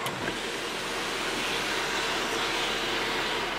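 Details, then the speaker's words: Audi A6 C7 sunroof after overhaul and cleaning: glides open with an even soft hiss, no squeak or creak; the earlier squeaking during operation is fixed. "네. 깔끔합니다. 작동 시 소음 해결 완료."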